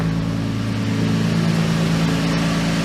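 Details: 2002 Lexus IS300 on jack stands in first gear after replacing the clutch, rear main seal, pilot bearing and throw-out bearing: smooth, steady driveline hum with no clunks, grinding or whine; wheels spin with the LSD, normal operation.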